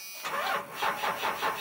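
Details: Old 5.9 Cummins diesel with very dead batteries after sitting a long time, jump-started with a Noco GB70 pack, key on for the grid heater: sluggish, weak, dragging cranking at about four pulses per second before it catches.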